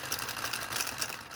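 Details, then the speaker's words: Small 3D-printed "Telboy" solenoid motor on a JL94 circuit at 30 V, which the owner thinks is meant for bigger coils. Fast light sewing-machine ticking once it catches after a hard spin; it won't start unaided, and the circuit is not overheating. "yeah i gotta give it a really hard kick because it really needs a lot for the jail 94 churches to kick over"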